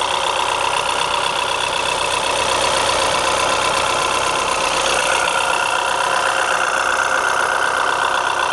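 Steady idle with a light, regular tick about four times a second riding on top; cause not clear from sound alone.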